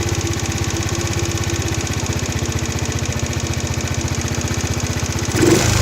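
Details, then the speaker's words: Chinese four-stroke scooter (139QMB/GY6-type) after swapping the airbox for a pod filter and tuning the carburettor; warm engine holds a steady, even beat of about four pulses a second, no hunting or misfires; normal idle. "yep so that sing really nice and that's uh it's under that lovely smooth running engine"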